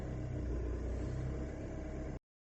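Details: 2008 Skoda, BLS engine, at operating temperature: hard start then low lumpy uneven-beat running for two seconds before cutting off; no diagnostic errors stored.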